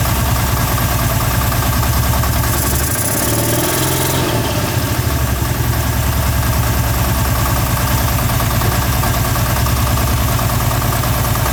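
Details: Kawasaki Teryx 750 V-twin, 500 hours, run low on oil: deep steady knock under the idle exhaust note, still present with both clutches removed; TDC test points to rod knock in rear cylinder number 2.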